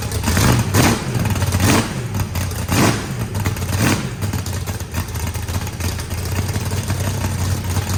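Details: Freshly built turbocharged 409ci small block Chevy V8, added compression, first start: deep lumpy idle with sharp throttle blips around one and three seconds, revs cleanly; rowdy and healthy, normal revving.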